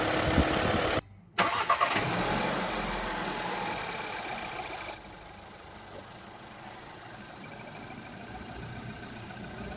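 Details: Normal family car engine, as checked when inspecting a used car for abnormal noises: quick crank and catch, revs drop to a smooth steady idle with no knocks or ticks; healthy.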